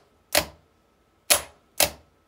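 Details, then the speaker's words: Fiat 126 BIS starter: three sharp solenoid clicks with no motor cranking after them. Current does not pass to the motor winding. ". Bây giờ chúng ta thấy rằng cuộn dây không hoạt động."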